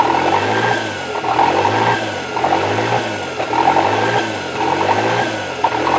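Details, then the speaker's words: Toyota 3E-TE engine idling rough: from start-up the idle bounces between about 1500 and 2500 rpm roughly once a second and never settles; a light throttle sends it to about 3000 rpm, then it drops back, and the engine seems to get hot. Cause unconfirmed. "so yeah when it starts up it does the bounce idle between about 1500 RPMs to about 2500 and then I barely touch the throttle and it goes up"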